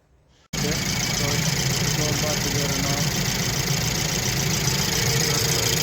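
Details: BMW 118i four-cylinder after replacing and programming the faulty cylinder 4 injector that caused misfire, shaking, smoke and a low fuel pressure code: engine starts and settles into a steady even idle with light ticking, no stumble or shake.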